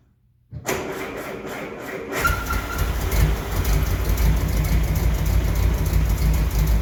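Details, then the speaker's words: 1968 M151A1 military jeep on a lift, first start-up indoors; it still needs a fuel pump and carburettor rebuild: short crank, catches near two seconds, then settles into a steady, even low idle; owner says it sounds good. "I think that's proof of concept it's getting a little hazy in here I guess I'm definitely happy with it it sounds good"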